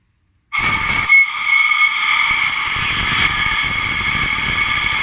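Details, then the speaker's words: Leak-down check after cylinder head repair: strong steady high-pitched hiss as the exhaust port is pressurised; exhaust valves 8, 7, 6, 5, 4, 2 and 1 leak, only valve 3 seals; nearly all intake valves also leak. "2 пропускает. 1 пропускает. Единственный 3 клапан на выпуске держит."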